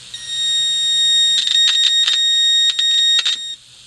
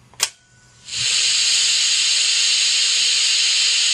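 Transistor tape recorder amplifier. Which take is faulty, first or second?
second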